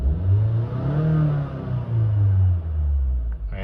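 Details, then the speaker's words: 2015 Honda Fit at 88,000 miles, after valve adjustment, intake valve cleaning, oil change and VTC spring replacement; heard from inside the car. Low, smooth engine note swells and falls over a couple of blips, no roughness or knocking, hardly any vibration; healthy free rev. "but still it's real smooth though it's like it's not hardly anything uh hardly any vibration I mean I hear it more than I feel it I hear the engine rev up more than I can feel it"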